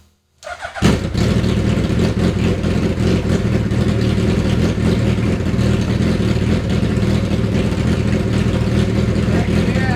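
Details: Neglected Hayabusa engine on bench, fuel injection light out after new injectors, choke held: catches within a second and settles into a smooth, even fast idle with no misses.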